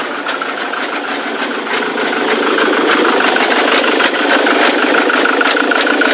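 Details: Ford Mondeo Mk3 turbo-diesel under throttle: a steady rattling knock about three beats a second over diesel clatter, heard from the left side like a chain; engine smokes heavily, blowing soot when revved; cause not yet found.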